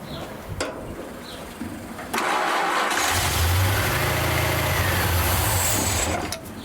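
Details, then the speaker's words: Rat rod after carburetor clean and refit, electric fuel pump lowered: several cranking attempts, then fires, runs roughly about three seconds and dies. Hard starting and stalling; owner thinks it's running out of fuel, idle won't come down. "right I think it's running out of fuel my opinion than St a a me [Music] right I now know what the problem is put huh [Music] I cannot get the tickover down for some weird reason"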